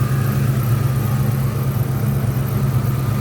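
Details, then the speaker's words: 2004 Ford Mustang Mach 1 V8, replacement motor, Borla cat-back, lean code set: low, slightly uneven lope at idle, no tick or knock; owner suspects exhaust or vacuum leak, possibly a bad O2 sensor, not confirmed. "I'm under the impression it may have an exhaust leak. and or a vacuum leak that I have not been able to find since I put the car back together."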